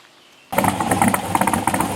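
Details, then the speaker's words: LS7 V8 in an S10 truck at idle with newly scratch-built 3-inch exhaust: definitely louder, deeper, almost hollow tone, lumpy cam audible, steady even firing; normal healthy idle. "it's definitely louder. A little more of a deep tone to it. Kind of almost a hollow sound."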